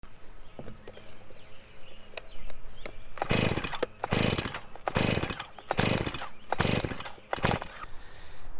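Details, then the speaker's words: Stihl chainsaw that won't start despite changed fuel and a checked spark plug: five rough pull-cord rasps about a second apart, each dying with no catch or firing. Cranks but won't start. "there everybody welcome back so you can see the chainsaw won't start"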